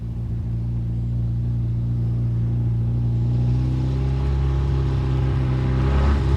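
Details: 1973 Volvo 142 SCCA race car, warmed up: deep even burble from the side exhaust, steady four-cylinder beat firming as it warms; normal healthy warm idle.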